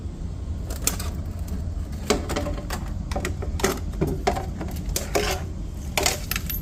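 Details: Samsung dryer: irregular metallic clinks and rattles over a low steady hum as the drum turns; rattling noise, cause unclear.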